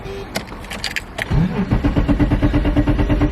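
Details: Abandoned BMW E34 535i, first start attempt after sitting 12 years with a fresh battery: starter clicks then cranks steadily about three turns a second but never catches; suspected no fuel delivery, crank no start.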